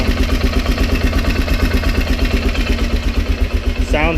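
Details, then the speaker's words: Polaris Sportsman 400 ATV with a Sportsman 500 cylinder big-bore swap: single-cylinder idle around 170 beats a minute, slightly uneven with light rattle, also present with old engine; rough idle, owner suspects crankshaft counterbalancer not matching new piston. "the players sounds had that kind of rattle noise with the last engine as well I've noticed I've noticed from driving it a little bit and letting it idle that it does idle a little bit rougher"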